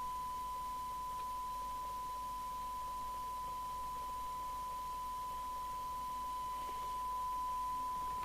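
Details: 1981 DNT B40 UK FM CB radio base after repair and receiver alignment: steady clean test tone over faint even hiss, no garble; 12 dB at 1 microvolt sensitivity, previously garbled; receiver working properly.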